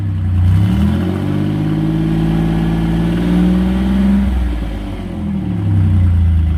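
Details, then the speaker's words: Twin-turbo V6 Mustang with new DW 340lph fuel pump, untuned: low, even idle drone with slight speed swells, no knocks or misses; idle steady and healthy, better than the other car with this pump. "i don't know man so far it's a lot better than your car"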